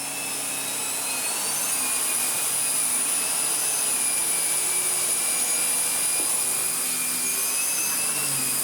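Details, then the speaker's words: Restored Miele Revolution PowerPlus 5000 S5980 vacuum with powerhead on, machine turned up: steady high airy roar, constant motor whine and even brush hum, no surging or rattle; running healthy. "Oh yeah. That works really, really well indeed."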